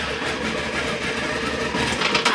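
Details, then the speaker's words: Motorcycle with a Meta M3357 immobiliser bypassed by joining wires, started in a closed garage: starter catches, then a fast, busy rattling run for about two seconds before cutting off; normal start and running. "I don't have the choke off, and I've got a closed garage door, so I'm not going to run it, but that was clearly it starting and running."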